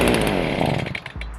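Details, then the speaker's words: Small two-stroke engine (Stihl BG55 leaf blower, FS55 or Shindaiwa T242) started on full choke with half tank: high buzz falters and sags within a second to a few weak firings; dies starved of air, turn choke off. "the reason it's dying is because it is not breathing so it doesn't have air going into it so that's when you turn the choke off"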